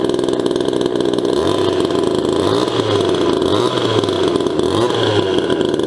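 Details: Restored 1977 Poulan Micro Super XXV Deluxe vintage two-stroke chainsaw, ported and repainted: high, buzzy note with quick, crisp, even rev blips about once a second; runs normally.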